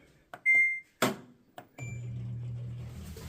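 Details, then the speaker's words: Kenmore washer that is not draining, run in diagnostic mode. Control beeps and clicks, then a low steady hum with no water flow; the drain pump is bad and is being replaced. "can hear the pump, we got a bad drain pump."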